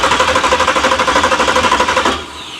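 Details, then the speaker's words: 383 stroker V8 in a Monte Carlo SS at first start, after the starter had been only clicking: fast, even cranking at roughly eleven beats a second for two seconds, strong and steady; starter works. "I'll be damned, it cranks. It cranks."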